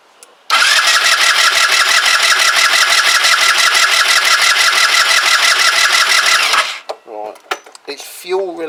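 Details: Kymco Agility 125, first start attempt after rebuild with carb empty: starter whirs steadily with even compression pulses, about three a second, for six seconds, never catches; crank no-start, owner suspects vacuum-related fuel feed though pump is feeding carb.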